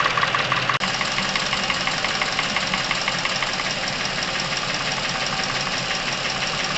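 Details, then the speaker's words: Chevrolet Epica, over 200,000 km, noise from top of engine appeared suddenly days ago: fast light ticking about twice a second over steady idle; hydraulic lifter tapping. "небольшая предыстория данного автомобиля пробег его давно прошел отметку в 200 тысяч километров и буквально несколько дней назад резко появилась проблема связана с шумной работой верхней части двигателя"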